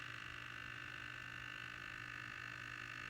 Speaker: Batteries are going dead on the servo. That's why you hear the humming.